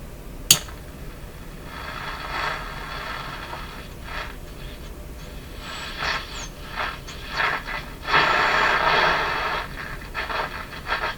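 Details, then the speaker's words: Sony TR-712 transistor radio after replacing four of seven electrolytic capacitors: rough, crackly audio with uneven bursts of fuzz and clipping, same distortion as at the start; remaining capacitors or a diode suspected, not confirmed. "well sounds like a radio but there's a voice there so what i'm hearing is the same kind of distortion that was there at the start"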